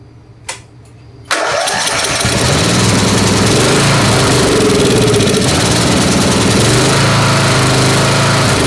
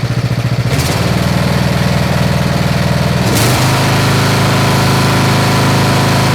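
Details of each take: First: Snapper SR-Series 10HP Briggs & Stratton, stored 10 years, with an aftermarket Amazon carburetor whose jet/emulsion tube was drilled to 0.030", started on full choke: single-cylinder beat about three pulses a second with a stumble. Missing, not backfiring; needs tuning. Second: Snapper SR-series mower, 10HP Briggs & Stratton, stored 10 years, after tuning the aftermarket carburetor and fitting the air cleaner: crisp regular single-cylinder beat, steps up cleanly and holds steady, no missing; running well.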